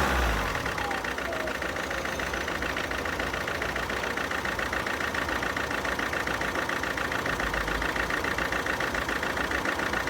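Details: 2011 Alfa Romeo Giulietta II (Tipo 940) 1.6 diesel, engine code 940A3000, 77 kW, 312,000 km: idle with steady lumpy beat about three or four times a second, one cylinder without compression not pulling its weight.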